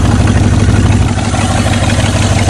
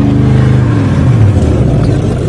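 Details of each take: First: Rusty Oldsmobile 88 with 307 V8, sitting 3 years, running on 3+ year-old stale gas, belt gone: low, uneven, shaky idle loping at about two pulses a second; misfire, not running on all cylinders. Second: Rusty Oldsmobile 88 first start after sitting three years, fuel poured into carburetor: deep steady rumble with small throttle swells, running on its own, some smoke; smooth and healthy.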